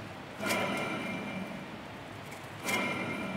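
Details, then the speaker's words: Ford Mondeo Mk3 front hub spun by hand: gritty, rough whirr with metallic ringing; suspected driveshaft bearing but found worn front wheel bearing, replaced. "that's rough that's noisy"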